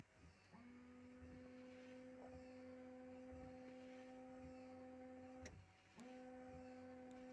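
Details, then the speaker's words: Lada Largus Cross, nearly 100,000 km: steady electric hum of the rear washer pump for about five seconds, cutting out and restarting evenly after a fix for the tailgate's blowing fuse; water sprays, washer working normally, though number-plate light still fails. "пошла водичка всё отлично"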